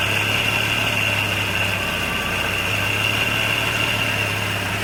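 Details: 1989 Jeep Cherokee 4.0L I6 (Renix, AW4) restarted with a new DieHard Platinum AGM battery: smooth, steady idle with a faint constant high whine, no misfire or knock; running fine.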